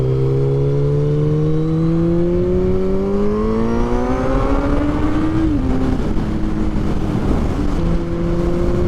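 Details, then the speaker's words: Kawasaki Z1000 motorcycle on its first ride of the season: strong, smooth engine note rising steadily through the gears, brief dip at a shift, then pulling evenly; normal engine under load. "So I'm gonna shut up, let you guys have a listen to this thing, because listen how awesome this thing sounds."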